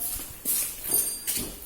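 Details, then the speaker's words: Lada Largus, wheel rocked up and down: three dull knocks about half a second apart, with the front strut visibly loose at the top; ball joints, tie rod ends, stabilizer links and bushings, and hub bearings already checked. Cause not yet found. "Я ещё пока не разбирал Я ещё пока не смотрел в чём здесь дело но однозначно стук"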